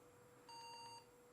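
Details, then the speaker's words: Pentium 4 desktop PC at POST, after display swap got video: one short clear high beep burst with faint pulsing, the four-beep code for BIOS settings not set; not serious, RAM earlier suspected. "and now the four beeps that's just biased that isn't set so that's not too bad"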